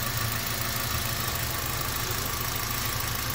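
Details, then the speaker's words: 2017 Toyota Avanza after an oil change: steady even idle, the loud top-end tik-tik ticking now gone. Normal idle, though the mechanic suspects underlying damage and advises further checks. "Tumahimik. Tumahimik na. Kaso may problema. Nawala na yung tik tik tik tik tik tik tik tik tik tik tik."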